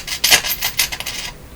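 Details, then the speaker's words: German Greatz Polka tube radio, first power-up after replacing capacitors, tubes lit: harsh scratchy rasping treble bursts as the volume is turned up, with no hum. DC through the volume control from bad capacitors is suspected, not confirmed. "that sound that sounds pretty scary i don't like that at all it sounds like to me that sounds like dc going through the volume control"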